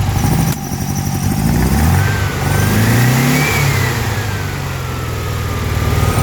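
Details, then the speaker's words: Air-cooled engine with Weber IDF 40 carburetors clogged by ethanol fuel, reassembled and fed poured-in gas: revs unevenly with sharp pops through the intake as throttle opens; owner suspects too lean, idle adjustment being set. "So you can hear that popping. It's like it's either too lean or something."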